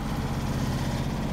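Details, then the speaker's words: 2005/2006 Maytag Neptune washer on maximum spin speed: low droning hum with a rhythmic throbbing pulse, the machine vibrating hard during spin. "hey guys this is quitting the washer is vibrating a lot"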